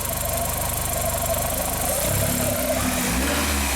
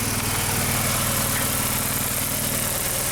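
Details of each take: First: 2001 VW Jetta Wolfsburg 1.8T with earlier codes P0302/P0303/P0300, after installing a replacement engine computer, with the coils still loosely hooked up. The idle is fairly even and picks up cleanly on a throttle blip but runs slightly uneven; the cylinder 2 misfire is gone. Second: 2001 VW Jetta Wolfsburg 1.8T (180) bought non-running with a disassembled, temporarily routed engine harness, just started: lumpy, stumbling idle with shaking; codes show random misfire and cylinders 2 and 3 misfires (P0300, P0302, P0303).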